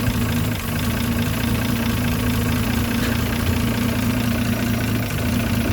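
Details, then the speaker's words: Land Rover Series 3 109, 2.6 six-cylinder still being tuned, just after starting, good oil pressure: steady, even idle with a smooth low hum and no ticks, knocks or stumbles. Normal, quiet idle. "so i need to do some work on this there's something on idle and but listen quiet the engineers"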